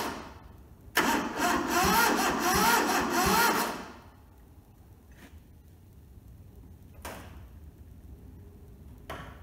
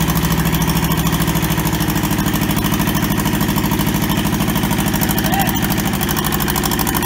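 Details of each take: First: Toyota SDK4 skid steer diesel on jump leads: starter churns unevenly about three seconds, nearly catching but never firing, then stops; owner thinks the battery is getting flat; weak cranking, no start. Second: Toyota SDK4 skid steer diesel, restoration project, after first successful start; even regular clatter at steady idle, about two and a half firing pulses a second; running properly.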